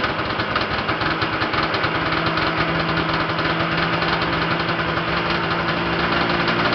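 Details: Yamaha Enticer 340 two-stroke snowmobile, first start after rebuild (new Wiseco pistons and bearings, Hot Rods rods, custom forged balanced crank, Uni filter): busy, even idle with steady rapid crackle, no knocks or misses; healthy, very smoky.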